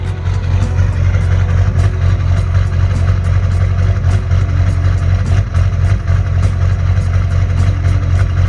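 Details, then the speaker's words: 2001 GMC Sierra 3500 LB7 Duramax at idle: slight lope with occasional hiccups about two a second, rough warm or cold but worse cold, from a faulty fuel pressure regulator letting pressure wander; recorded before regulator replacement. "there's a little bit of rough idle the truck has a nice lope to it whether it's warm or whether it's cold it does a little better after it's warmed up a bit but definitely when it's cold"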